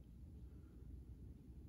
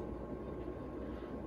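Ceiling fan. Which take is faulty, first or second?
second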